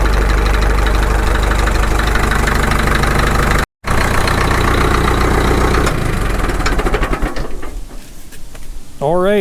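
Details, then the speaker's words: Caterpillar D2 diesel at its first start after full pony motor and diesel engine rebuilds, at low idle: slow, steady clatter with an even firing rhythm and no knocks or misses, sounding healthy. "that sounds good for a low idle"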